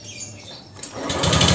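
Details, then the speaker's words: Honda Vario 125 LED scooter, noisy and smoking, oil had run out and used oil added, first start: fast, rattly, uneven top-end clatter; mechanic suspects worn piston. "suara yang pertama ini suara kayak rig a angkatan pertama kali motor hidup itu batu biasanya di bagian seher ya share nyantong ya"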